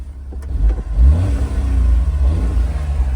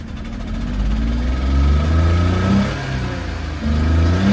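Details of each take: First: Honda Beat, a small petrol kei convertible, revs up cleanly and falls back smoothly, with the pitch rising and dropping evenly with throttle; it is called one of the best-sounding cars and drives great. A healthy, free-revving engine. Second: Suzuki Carry dump truck with diff lock, four-wheel drive, about 20,000 km: uneven, lumpy revving with wavering low throb, runs rough as if about to stall, poor response at full throttle; owner suspects exhaust leak or old gas.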